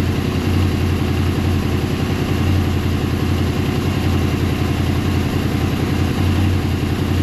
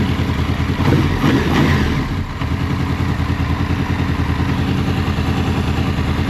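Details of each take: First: Warmed-up Honda VFR800 VTEC V4 at a smooth, steady low idle with no ticking or rattle. This is after replacing the timing chains, tensioners, guides and valves and synchronizing the throttle bodies, which had been well out of sync. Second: Honda VFR800 VTEC V4 after timing and valve work, warmed up before throttle body synchronization: lumpy, uneven idle with a loping beat and rough low thrum; throttle bodies badly out of sync, later synchronized and it runs completely differently.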